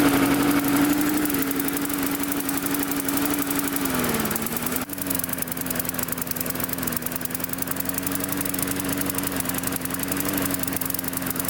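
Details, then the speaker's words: Mid-2000s MTD Yard Machines single-cylinder push mower after tightening a loose blade. Speed sags and hunts before settling; the carburetor was loosened off the intake pipe, letting air in, and the diaphragm needs reseating or replacing. "I also notice due to that blade being loose it's loosened to the carburetor up here you can see the carburetor is not sitting fully on to the the intake pipe there"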